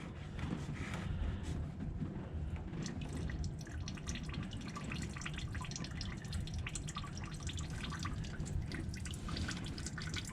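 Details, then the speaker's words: El Camino having its damaged engine removed: irregular small drips and splashes in a quiet room. Fuel is leaking because the fuel line isn't pinched off hard enough; re-clamping it tighter stops the leak. "as you can hear it sounds like maybe we don't have it pinched off hard enough and we've got a little bit of fuel leaking there"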